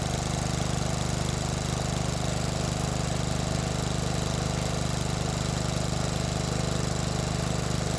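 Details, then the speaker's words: 30-year-old John Deere 165 Hydro lawn tractor with a newly fitted Cub Cadet muffler replacing the stock one, new paint burning off with smoke: steady, even single-cylinder putter with no misses or knocks and no exhaust leaks; normal running. "Yeah, no leaks. Success."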